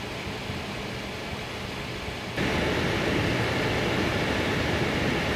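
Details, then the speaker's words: AMD Radeon VII graphics card on an open test bench under load: a loud steady rushing fan roar that jumps sharply louder partway through, excessive fan noise. "정말 근 몇 년을 통틀어서 이런 팬 소음 들어보는 건 진짜 오랜만이네요."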